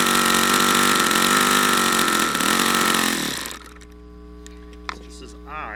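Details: YS FZ63 model glow engine, first run, 22% nitro / 18% oil fuel, OS F plug: high-pitched scream sags, wavers and drops off, running unevenly and not reaching full throttle; owner suspects debris in the fuel regulator, unconfirmed.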